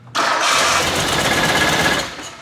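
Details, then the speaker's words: R33 Skyline engine swap on first start-up; the engine hadn't run in a very long time. It catches with rough, ragged firing for about two seconds, then dies. Misfire on start-up; a VTC gear is suspected. "that doesn't sound good did we lose maybe an injector pulse no that's like internally that was just straight misfire"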